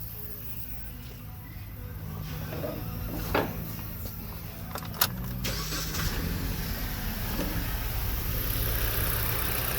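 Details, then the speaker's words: Car with a no-code misfire after a new PCM was fitted: it cranks and catches, then idles with an uneven, stumbling beat; misfire unchanged after swapping coils 1 and 2, coil replacement needed; ignition coil misfire. "hey we still got a misfire now let's see it is twist to this look at that guy no change yes i need a coil"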